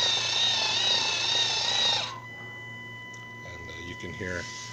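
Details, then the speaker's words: 3D-printed servo winch linear actuator (Kevlar line, EMT drum) hauling a roughly ten-pound test load at about two watts: a high, steady electric whine for about two seconds, then it cuts off; the servo needs tuning for this higher load. "bit of wine there because it needs a little tuning for this higher load situation"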